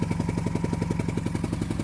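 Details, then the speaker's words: 1997 2500 12-valve Cummins on a cold start in snow, not plugged in, not started in a good while: quick, even puffing ticks locked to idle. Exhaust leak near the back of the head, possibly cracked there; runs, but not healthy. "It does have an exhaust leak, but where the exhaust leak is, it's right around the area on the back side of the head, and I can't really tell, but it feels like it's got either a deep crevice in there or something, or it may be busted right there."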